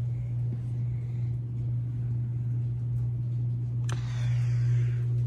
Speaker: i don't like how that motor telegraphs that 60 hertz hum into the beams which is quite loud and obnoxious actually